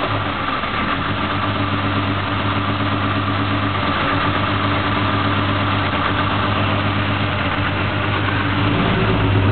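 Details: BMW M3 engine at idle with throttle blips: uneven, lumpy, stumbling beat as a cylinder drops out; engine misfire.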